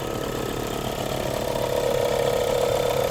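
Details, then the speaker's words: VW Polo Liftback 2022 1.4 petrol at idle: quick, fairly even ratcheting rattle about four a second near the engine that disappears when revved; the fault is the alternator, and the noise stopped after alternator servicing. "Даёшь газ, звук пропадает. Проблема в генераторе."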